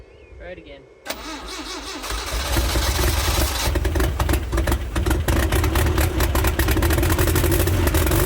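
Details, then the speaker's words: Toyota 8RC engine, first start after rebuild, in neutral with loud exhaust: brief crank, catches about one second in, settles into a loud, slightly choppy idle; possibly running a bit rich. "She might be running a bit rich."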